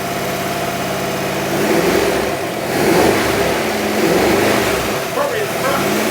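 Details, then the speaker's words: Barn-find 1960s Bristol 408 with Chrysler 5.2 V8, running after revival, dynamo seen sparking: a deep, even V8 note rising and falling cleanly with throttle blips, no knocks or misses; normal revving. "that's lovely yes it is actually that is really lovely sound nice sorry does it sound nice it it sounds great actually"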